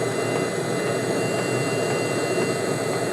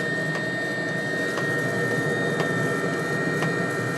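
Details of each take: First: Webasto diesel heater running on high with a homemade replacement controller (555 modules, MOSFETs, no ECU): steady even roar with a faint high whistle, no sputter or drop-outs; heater stays lit and has not flamed out, normal running. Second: Webasto diesel heater on a homemade 555-based replacement controller, low setting: steady fan whoosh with sharp pump tick about once a second over a thin uneven burn; flames out, needs slower fan or more fuel.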